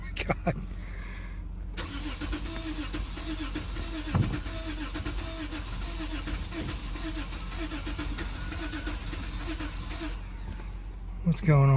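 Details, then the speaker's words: 2006 Lexus GS350 after power restored via 40 A maxi fuse jumper: starter churns steadily about nine seconds but engine never catches; crank no start, owner suspects no gas in it. "with this thing does this thing even have gas in it still sounds like though I don't think this has any gas in it"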